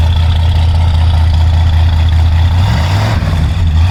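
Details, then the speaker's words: Freshly rebuilt 429 V8 in a 1968 Ford Thunderbird, cold start after sitting 4–5 days, about 30°F outside: deep steady burble, even low rumble, no knocks or misses; exhaust and engine audible, healthy cold idle. "But we're going ahead, give it a start up. You can hear the exhaust and you can hear the engine."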